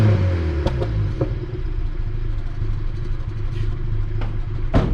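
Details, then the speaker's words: 1988 Honda Civic EF hatch, D15 dual-carb engine, 186,000 km, soot splatter from exhaust: revs flat and breathless with coarse, uneven rumble; worn engine, owner suspects dry valve stem seals; being swapped for D16Y8. "pretty breathless um and it's on its way out anyway"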